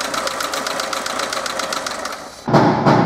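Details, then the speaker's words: Lada Niva engine at idle: crisp light metallic ticking about three per second from a worn hydraulic lifter; lifter to be replaced without removing the camshaft. "данный стук был конкретно гидро компенсаторы его будем менять"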